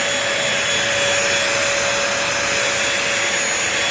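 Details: New Bissell 3-in-1 Lightweight Stick Vacuum, model 2030, running for sound test on crumbs and sand: steady high-pitched motor whine with even airy rush, no rattles or pitch wobble; normal running.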